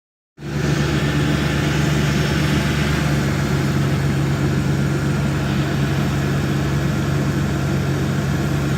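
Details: 2002 Dodge Intrepid 2.7 at 213,000 miles. The belt squealed when turning the steering wheel because a loose alternator bolt let the belt go slack; it has now been fixed. Smooth, even idle hum with no squeal or chirp from the belt.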